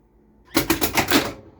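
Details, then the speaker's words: Stern Big Game pinball machine first power-up after restoration; quick burst of sharp mechanical clacks as three drop-target solenoids reset and pop bumper fires, solenoids working normally. "hey did you hear that them some solenoids I think I heard my three drop Target solenoids reset and then this pop bumper just fired"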